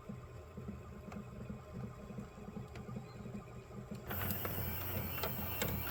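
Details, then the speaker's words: CED player fitted with a prototype 3D-printed third reduction gear, freshly greased, running in fast forward. Steady low whirr with a soft rhythmic chatter and no slipping; the gear teeth mesh correctly. "anything so yeah the teeth all seem to be right seems to be operating correctly"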